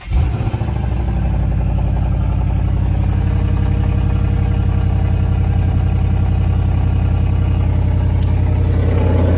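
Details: 2008 Lexus GS 460 V8 from auction, rusty underside: loud, raspy burble with rapid popping pulse climbing as it revs; exhaust leaking badly at rusted connections.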